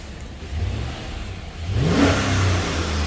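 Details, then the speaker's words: Chevy 5.3 V8 after full AFM delete and cam bearing job, first run with no belt or accessories: steady low idle then clean, quick rise in pitch with throttle, no knocks, good oil pressure, slight burn-off smoke; normal revving. "H sounds pretty good to me considering there's no belt no accessories nothing turning sweet"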